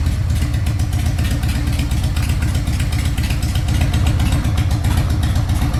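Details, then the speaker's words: 2003 Harley-Davidson Sportster 1200 after CV carburetor teardown, cleaning and reinstall, still cold and showing no leaks: deep, steady loping V-twin beat at about four pulses a second. Normal idle. "Yeah, it's idling good. Sounds good. Still a little too cold."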